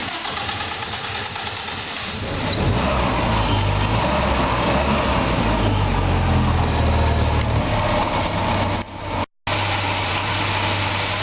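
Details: 1946 Willys Jeep after installing a 12-volt electric radiator fan (over 1,000 CFM) in place of the big mechanical fan: engine cranks, catches and settles into a steady, even idle with a smooth fan hum; no knocks or misses, healthy.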